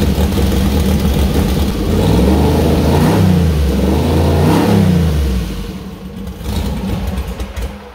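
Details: First start of a newly built 2000+HP LS engine (Dart LS Next block, 4in stroke, 4.140 bore, Brodix BR3 heads, .750 lift solid roller cam): deep steady idle, two smooth rev sweeps, clean shutdown; runs healthy, though there is a small oil leak at the cam-driven fuel pump and a small water leak.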